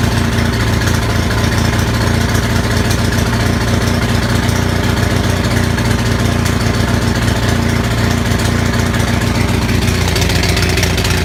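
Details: Onan 6500 (6.5 kW) gas commercial generator, missing its muffler, runs rough, stumbling and popping over a steady drone, a bad misfire. Spark was always present; pulling the plugs showed a severely fouled spark plug as the cause.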